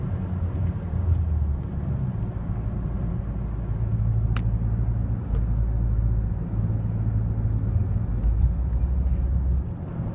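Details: Mazdaspeed3, unused two weeks, after about 2 miles of driving: deep engine drone keeps dropping and picking back up with a steady pedal, shaking badly around 3 (thousand) rpm; engine surging, owner suspects misfire or fuel pump, unconfirmed.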